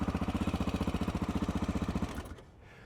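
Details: Honda XR600R big single, cold engine just kick-started on choke: even, deep thumping about 220 beats a minute, no misses or clatter; healthy normal cold idle.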